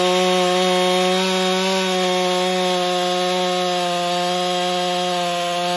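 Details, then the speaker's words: Husqvarna 562XP chainsaw after repair of air leak, bent decompression valve and new piston, pressure and vacuum tested: steady high-revving two-stroke buzz holding even pitch through the cut, no bogging or surging; runs clean under load. "oh seems to run fine"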